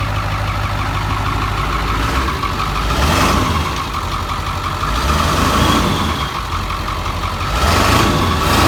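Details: Ford F-350 with the 7.3 Powerstroke diesel, bought non-running with no oil, running for the first time in years after a gauge cluster/throttle pedal fuse was fixed. A steady diesel clatter with slow rev swells every few seconds, no misses or knocks. Running normally.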